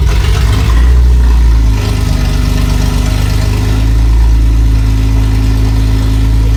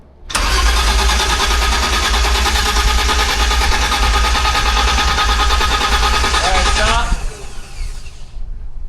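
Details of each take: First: Freshly built BMW E30 after O2 sensor and X-pipe install, first crank with relay jumped: deep, even drone with good compression, no misses or knocks; runs briefly, fuel delivery problem still to sort. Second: V12-swapped BMW E30 first startup after O2 sensor and X-pipe install: steady, even starter cranking at about three beats a second that never catches, then stops; cranks but won't start, no fuel reaching engine (blown fuse suspected).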